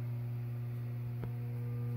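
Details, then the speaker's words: 1965 Packard Bell RPC46 solid-state AM/FM console stereo with power on: steady low hum with faint buzz at all volume levels, caused by failed main filter capacitors and small electrolytics; fixed by recapping the amplifier. "but but it does work it's just got a hum in the background that's all"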